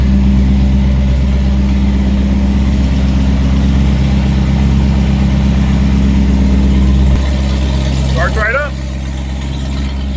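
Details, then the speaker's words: BMW towed in with no-start (ABS/fuel pump fuse 31, dry tank) now running: heavy, loud, deep droning idle because the catalytic converters were cut out with a saw; O2 sensors still in place. Loud exhaust from removed catalytic converters. "Sounds halfway decent, actually. Why is it so loud? Somebody went underneath there with a sawzall and cut the cats. Yep, cats are missing."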